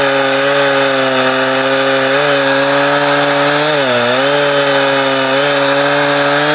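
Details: Husqvarna 455 Rancher two-stroke chainsaw, warmed up, cutting a heavy block; it had choked when warm. Steady high buzz holds revs, sags briefly in the cut, picks straight back up; old filter discolored brown.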